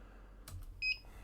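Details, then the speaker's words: Infrared sport timing gate sensor on a tripod: one short, clean high-pitched beep as it detects an object within its set detection distance, a cue to increase or decrease the range. "did you hear that beeping it will beep if it's detecting something so this is another great way to tell if you need to either increase or decrease the detection distance"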